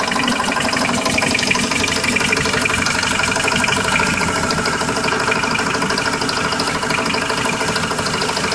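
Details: Car engine at idle, ticking from start until shut-off, around the oil pan: light, fairly irregular tick under once a second, low on the engine; began two days ago, source unclear.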